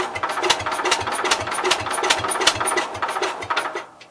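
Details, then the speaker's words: Cub Cadet 122 with coil giving spark, points and condenser questionable, primed and cranked: starter beat about 2.5 per second with a few sharper catches, fires weakly but won't run; owner suspects it needs carb cleaner. "So I think it will run. I may have to do it with carb cleaner."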